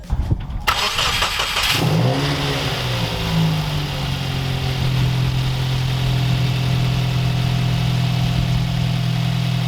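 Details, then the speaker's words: Subaru WRX idling unevenly right after a PLM/Perrin turbo inlet and bypass valve install, no tune; rough idle persists. "well now we got that installed so either we didn't fix our problem or we made more vacuum leaks"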